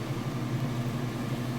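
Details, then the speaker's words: Whirlpool direct-drive top-load washer in final spin after draining, lid lifted until the safety switch shuts it down: steady, even low hum with no knocks, rubbing or wobble. The drum is spinning fast and smoothly, which is normal. "Now I'll lift the lid up, show you that everything's spinning like it's supposed to. Of course the safety switch is going to engage and shut it down, but you'll be able to see that it is spinning nice and fast."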